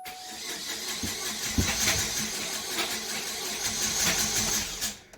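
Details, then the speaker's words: 2008 Chevrolet Cobalt, coils firing after ignition switch recall: starter cranks fast and even with a faint catch or two, no real firing; dealer found low compression on all cylinders and loose timing chain, suspected jumped timing; crank no-start. "they say they're low compression on all cylinders they say coil is firing just fine everything working just fine ECU working fine just low compression and timing chain loose they say that's why it no start"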